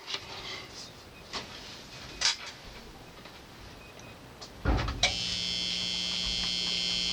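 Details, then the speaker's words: Technics SL-D20 turntable with a missing ground cable, connected to a receiver: quiet hiss and clicks, then a steady low hum with a bright buzz, which goes quiet when the ground wire touches ground. "Okay, can you hear the buzz? We're going to touch this wire to my ground. Quiet."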